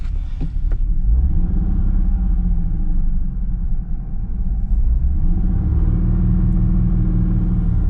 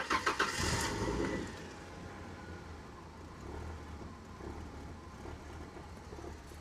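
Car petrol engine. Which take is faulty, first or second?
first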